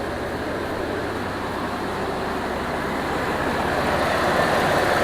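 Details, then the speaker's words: 2002 Jeep Liberty 3.7 after engine swap, idling with AC compressor on and temp still normal: steady, even whoosh of air swelling slightly toward the end, no rattle or scrape; cooling fan runs normally. "So yes, the fan is working. So now we just got to make sure the fan is going to kick on when it gets up to temp, which is still in the normal mode."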